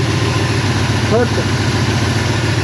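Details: Classic car idling after the distributor timing was adjusted to about two degrees: an even, steady low rumble with no misses or knocks; the engine sounds healthy.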